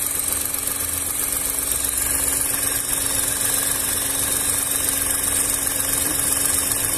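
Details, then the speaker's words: VW up! TSI, heater core hoses bypassed, warm idle with coolant around 97–98°C (dash shows 90): steady, even idle hum with faint airy whoosh of radiator fan turning slowly; normal. "vou esperar ligar a ventoinha aí eu te dou já mostro para vocês ó pessoal Demorou mas ligou bem devagarinho tá vendo"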